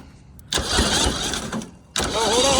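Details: Custom go-kart small engine catches and runs roughly for about a second, cuts out, then fires unevenly and won't keep running; flooded cylinders from a flooding float bowl suspected.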